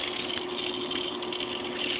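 Steady even hiss and hum with no surging or gurgling bursts; the pool pump is running smoothly now that the air is out.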